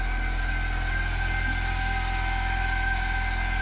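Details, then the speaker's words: Daihatsu soft-roader with a replacement wrecking-yard engine, running again after about three years abandoned: smooth, even idle with a steady low pulse around four beats a second, no ticking or stumbling; engine runs healthy. "Holy crap. It runs, Ruby. Your car runs."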